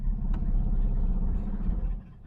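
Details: 1970 Ford Mustang Mach 1 V8 on a temporary fuel can with fresh fuel, second start after sitting a long time: deep, even rumble holding steady, no misses or stumbles, before it cuts off; running smoothly.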